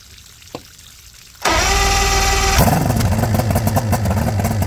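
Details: Johnson GT 200 outboard after new starter and power pack, plugs in, water flowing: brief cranking, then catches and settles into a steady, even two-stroke run with no misses or knocking; normal running.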